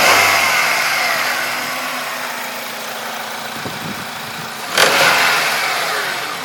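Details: Honda K20A engine running with microphone held close: loud hiss over a dull knock at idle, rising briefly with a blip; cause of the knock unclear.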